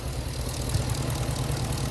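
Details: Hemi V8-swapped Jeep JK with new exhaust, after power steering pump replacement, before first drive; deep, steady V8 rumble at idle with no squeal or whine; engine sounds healthy.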